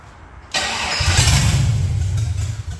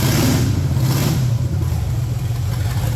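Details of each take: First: Project truck with LS swap, after fixing the gas fuel line and plugging the brake booster vacuum and another vacuum line; quiet, then cranks and catches into a deep, steady V8 rumble that settles smoothly into a stable, healthy idle. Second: Project truck with LS swap on a lift after transmission fluid was added; deep V8 rumble that stumbles and won't build cleanly on throttle, from a couple of big vacuum leaks plus no mass airflow sensor fitted.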